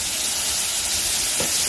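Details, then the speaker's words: Pressure canner processing pint jars of carrots, coming up to operating pressure before the weight goes on: loud, steady hiss of escaping steam with no sputter or break while the gauge slowly climbs; venting normally. "so you can hear this thing venting like crazy and you can also see that the pressure gauge is slowly starting to climb at this point we are going to go ahead and drop our weight on"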